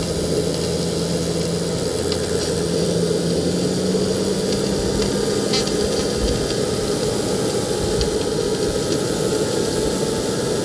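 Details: KJ-66 model jet turbine on a homemade test bench with Arduino/ESP32 ECU, running after a service: small turbine roars and hisses steadily, low tone drifting slightly as speed settles; normal running.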